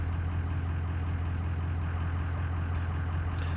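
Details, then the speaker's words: Greg's diesel truck with a stock EGR cooler and high-pressure pump: steady low drone, smooth, no rpm jumping or sporadic idle when revved. ICP sensor doubted, since unplugging it gave the same symptoms; pump replacement considered; normal idle. "so I mean it sitting here running smooth right now rev it up it's not jumping rpms it's not sporadic idly"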